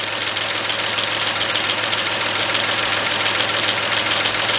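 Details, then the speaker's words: 2005–2009 GM engine (Chevy Equinox / Buick Rendezvous) after rebuild with new head gaskets, timing chain and intake, running warm: hissy, rattly tapping about 100 per minute at idle; traced by hose to the EGR valve. "that noise is actually coming from the EGR valve"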